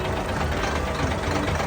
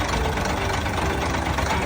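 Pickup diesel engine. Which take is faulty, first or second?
second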